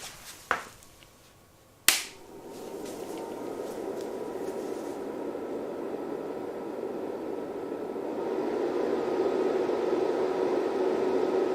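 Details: Rigol DP832 power supply, stock Sunon ME80251V1-000C-A99 80mm fan: two sharp clicks, then it spins up into a loud, steady rushing whoosh with a faint whine; to be replaced by a Noctua NF-A9 PWM 92mm with adapter.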